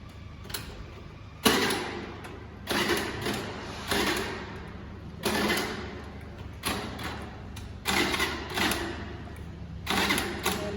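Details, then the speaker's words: Scooter that won't start: about eight short electric starter bursts roughly a second apart whir and stop, and the engine never catches or fires; crank, no start. "Okay सी मेरी scooty start नहीं हो रही है, तो I don't think कि ये plan थोड़ा सा मुझे डाइसी सा लग रहा है, होगी या नहीं होगी।"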